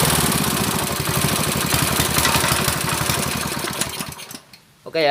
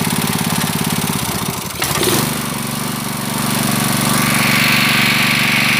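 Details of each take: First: Honda GX160 water-pump engine with black spark plug and frequent stalling, after carburetor adjustment; chugs fast and unevenly then cuts out, still abnormal running; carburetor suspected, not confirmed, plug to be checked. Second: Honda GX160 5.5 hp water-pump engine, unused a year, black-fouled spark plug cleaned and reused: single-cylinder chugging steadily, picks up briefly as the governor catches ('dut' sound), then settles to an even idle; governor still working, runs better.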